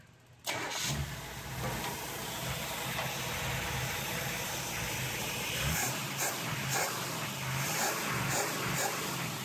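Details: 1963 Impala SS, likely 327 V8, with Blaster II coil and swapped electric fuel pump after a suspected bad pump and earlier pumps over-pressurising the carburetor: catches on starter, settles to lumpy, steady idle with even exhaust pulse; runs fine.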